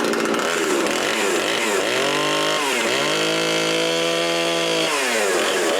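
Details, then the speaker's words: Husqvarna 350 18" chainsaw after rebuild with new cylinder, piston, ring and gaskets, muffler gasket left off (possible exhaust leak), compression about 75: revs up and settles into a clean steady high buzz, crisp throttle; normal running. "So I'm gonna call it done. It runs perfect now."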